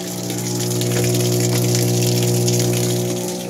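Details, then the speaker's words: Panasonic washing machine, before any cycle is started: a loud steady hum from the motor and drain motor running together as water gushes in; the water inlet valve was already replaced and is fine, and the fault is the control board. "Tapos pati yung motor na ugong. Motor yan na naugong eh. Motor tsaka drain motor nagsasabay."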